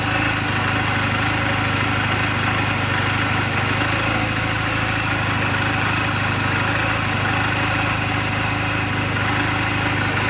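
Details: 2007 Honda Rebel 250 idling in neutral just after an oil change and valve clearance adjustment: a steady, constant low burble with no knocks or ticks over the hum. The charging voltage reads about 13.0–13.4 V running. A normal, healthy idle.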